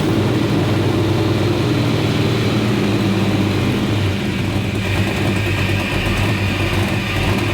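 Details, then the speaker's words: 1957 Chevrolet Bel Air engine at start after cooling tweaks that raise idle speed, settling and idling on its own around 800 rpm at about 5% throttle; smooth, steady idle with no hunting or surging: normal idle. "you see where everything stabilizes so we got it that idland on it own iding on its own"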